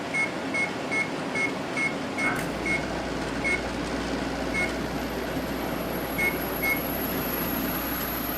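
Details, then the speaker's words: GE 12,400 BTU window air conditioner on first test run after install, low fan: control beeps at switch-on, then a steady, even fan and compressor hum, normal running. "Alright, let's give it a test run. There's low fan."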